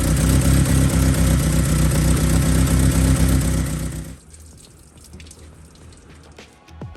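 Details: BMW E30 with swapped M43 engine, first start after head gasket repair and fresh oil, running with old thermostat housing without thermostat for flushing: even, steady beat for about four seconds before shut-off; smooth, healthy normal running.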